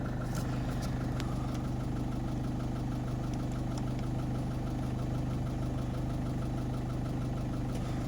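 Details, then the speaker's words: 2010 Citroën Nemo 1.4 HDi van diesel with new battery and alternator idling steadily, even regular clatter, no misses or knocks; runs impeccably. "je c le coffre comme il tourne il tourne impeccable en plus le moteur capte"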